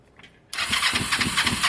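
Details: Kawasaki ER5 twin cafe project, air filters refitted: starter spins engine with steady chuffing about four compressions a second, never catches; both plugs show strong spark, owner suspects fuelling problem in carbs; crank no start.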